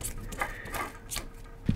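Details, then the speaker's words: SFU1605 ballscrew from the Y axis of a CNC machine, before nut replacement: the left ball nut, spun by hand, gives irregular light clicks and rattles and is very loose. Possibly fewer balls packed in, suspected, not confirmed. The right nut is quiet and tight. "one on the left you can hear that it must have not had the same number of ball bearings packed in so it's not sitting properly maybe all to one side if I it's also very loose"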